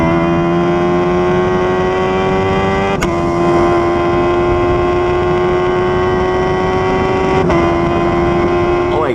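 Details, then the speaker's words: Formula race car on track at Misano, oddly in 5th instead of 6th gear: loud, steady high engine note with sharp gearshift breaks and an odd added tone; water temperature then read 124°C, engine overheating. "It seems like the engine is doing some weird noise. Can you hear it?"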